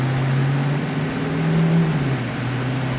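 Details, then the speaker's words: Shop AC unit after replacing a bad capacitor; compressor that wasn't running now starts and holds a steady low hum with fan rush, no clicking off (clicking off would suggest compressor or low freon). "Yeah, it wasn't running a minute ago. As long as it doesn't click off in a second, it was a simple capacitor."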